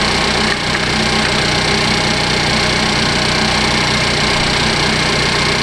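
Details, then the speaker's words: 2015 Cadillac ATS Luxury 2.5L RWD, junkyard used engine freshly swapped in, warming up at idle with AC compressor on: steady even idle with light quick ticking; normal injector noise, engine runs smooth and sounds good. "A lot of times engines on the camera sound really, really terrible, and I agree with you. This one sounds good. You can hear all the injectors, so if it's picking up some abnormal, ticking sounds."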